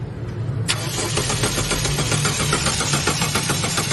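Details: Toyota Fortuner engine cranking at a steady churning rate for several seconds without firing; cranks but won't start, fuel pump suspected but not confirmed.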